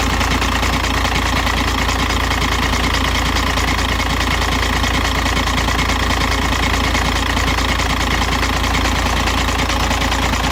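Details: 2006 VW Jetta TDI 1.9L diesel, 215,000 km, cold start: loud idle with a steady low knock from the bottom of the engine, about two per second, gone after 5 minutes idling or 2–3 minutes driving; oil pump inspected fine, cause unknown.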